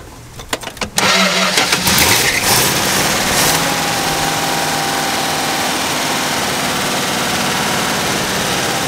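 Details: 1964 car with a freshly installed 318 poly-head engine that had a crank, no-start problem. After ignition timing adjustment it catches following a few cranking attempts and settles into a smooth, even idle.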